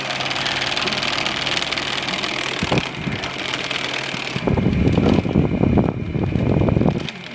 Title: fan what dont never ever never stop making noise in the ni